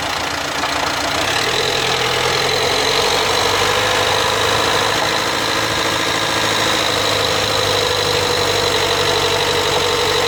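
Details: 2016 Dacia Duster dCi 4WD, brand new: a rough, gritty grind over a steady diesel drone when accelerating from 1500 to 1800 rpm in 5th or 6th gear. Unsolved after two dealer visits; owner suspects the drive shaft.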